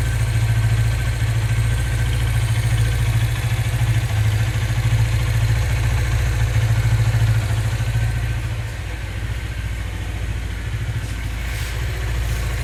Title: Cbz engine knocking sound